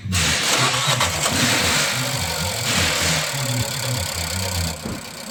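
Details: Nissan Juke with misfire and strange engine behavior, diagnosed with coil and compression tests: uneven, lumpy low pulsing that keeps stumbling; misfire with poor compression points to an internal engine fault.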